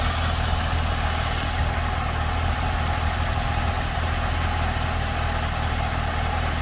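Steady idle with a fast, somewhat uneven light tick, roughly four per second, riding over the engine note; cause not clear.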